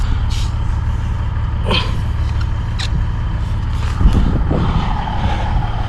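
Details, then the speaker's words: 1987 Peterbilt 362 with 3406B 425 hp CAT diesel, first start after sitting 10–15 years: steady, low, even idle, smooth with no knocking or misfire; engine brakes not working, temperature gauge creeping up, possibly a faulty sender; runs healthy. "But that runs so good, though. Run so smooth. I don't know if you guys can hear how smooth this running damn slow."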